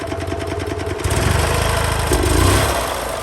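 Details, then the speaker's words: EZGO TXT gas golf cart, small single, after cleaning corroded terminals and the starter-side cable: fires up with a quick chuffing beat, picks up briefly, then settles to an even idle; normal start and idle. "got that cable all cleaned on the side that goes to the starter right there we're good she's a wrapper so fire right up"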